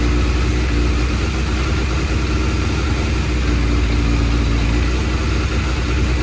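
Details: Suzuki Bandit 600 warm idle (tick-over) sounds slightly lumpy and uneven rather than crisp, heard while adjusting pilot screws; the carburettors are out of balance with each other and are being balanced.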